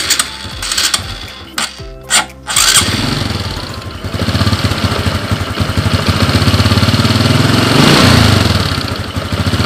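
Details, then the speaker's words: Honda Supra X 125 / Karisma X 125 that is hard to start, runs rough and uses too much fuel: catches after a couple of tries, then runs loud and slightly uneven with a wavering beat; fuel leaks through the vacuum fuel valve diaphragm, shown via a clear hose. "Oke ternyata bensin keluar dari sini lure ini adalah penyebab dari motor caption-caption karya yang ini rusak"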